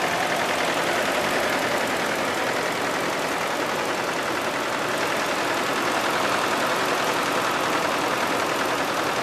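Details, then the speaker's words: 2000 Isuzu Trooper 3.5L V6, 140,000 miles, at idle: a loud, rough knock, heard louder on one side than the right. Oil droplets leak underneath while running; the leak began with the knock. Oil was overfilled by half a quart, with no oil pressure or check engine lights. Cause unknown. "sounds greater on this side then on the right side and now that the engine is running you can actually see oil droplets directly underneath"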